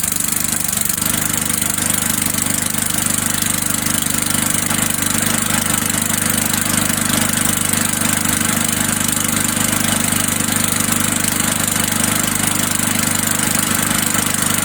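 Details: Old Sears Craftsman Eager 1 mower, single-cylinder Tecumseh engine, air filter just installed, smoking off; smooth, even running at about 214 firing pulses a minute, loud exhaust bark, no miss or knock, healthy.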